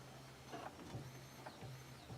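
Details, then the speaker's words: Fuel pump in a 1994 Camry wagon demolition derby car fitted with a 2001 Camry engine: faint steady low hum under light clicks at key-on; the pump is priming normally after fuel lines and new battery were installed. "couldn't hear that earlier so fuel pump is a good thing the fuel pump is working I thought the fuel pump wasn't working there for a second"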